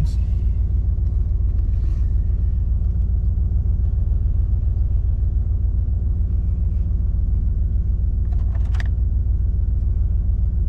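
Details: 2000 Dodge Ram 1500 after replacing the engine computer with a programmed unit (the previous replacement ran rough and died after 15-20 seconds): deep, smooth idle holding a constant even beat without stumbling or dying; normal idle.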